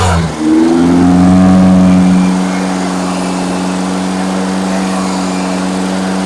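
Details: Fresh engine during break-in, second-day start after reconnecting the vacuum advance line (suspected major vacuum leak) and correcting a backwards-connected fuel pump: catches, revs briefly, then settles to a steady, even idle with a constant low drone, no knocks.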